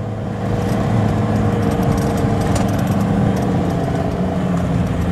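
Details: Isuzu Panther Hi Sporty diesel carrying a load uphill on the Trawas route: a deep, steady drone that pulls evenly with no knocks, rattles or misses. Normal diesel engine under load.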